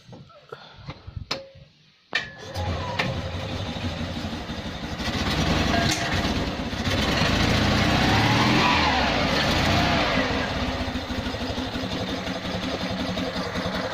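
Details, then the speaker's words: Invacar three-wheeler with belt drive, after 14 years in a field, on axle stands with replaced exhaust lacking clamps: after brief cranking catches into an even run, swelling on throttle, oil and muck burning off exhaust; normal running. "a lot better a lot of oil and fumes and muck burning off the exhaust now"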